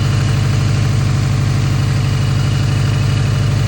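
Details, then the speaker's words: First start of the newly installed replacement engine (old one had a blown ring/cylinder) in the wagon, burning off smoke: steady, regular pulsing idle about three beats a second, no knocking or rattling; normal idle. "Sounds alright actually. Good. First start ever on this new engine."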